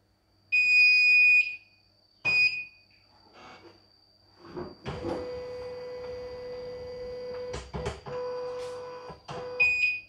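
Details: CNY E900 portable embroidery machine, disassembled with its motor not fitted, on power-up: one long high beep, then short beeps among handling clatter; position error because the needle position sensor disagrees with the disconnected motor.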